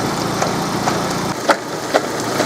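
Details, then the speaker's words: Car with a 124 engine idling with the timing-belt cover off and the belt's teeth stripped: irregular sharp taps, about two per second, over a steady idle; the engine keeps running, the noise was misdiagnosed as engine knock, and the belt is to be replaced. "вот сейчас посмотрим как работает автомобиль без зубов очень отчётливо слышно как этот ремень постукивает но двигатель продолжает работать"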